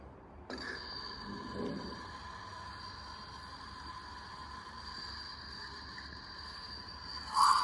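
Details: Central heating system jacketed (sleeved) pipe leak: steady high hiss with thin ringing whistle heard through acoustic listening gear at the loudest spot; thermal camera showed little, so the spot is to be broken open for repair.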